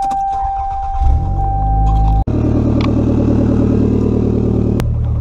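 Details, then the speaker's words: Car started with the front exhaust section unbolted, demonstrating a severe exhaust leak: after a steady warning tone and the start, the engine idles with a loud, deep, rapidly pulsing rumble. "I'll go ahead and start the car and let you guys hear it so you can hear what more of a bad exhaust leak will sound like"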